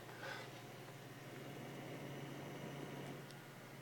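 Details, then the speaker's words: PC case vibration: steady low hum at one even pitch; taking pressure off the case sometimes changes or stops it; owner suspects the motherboard area, source not confirmed. "oh yeah definitely it sounds like it's coming from the motherboard but I have no idea"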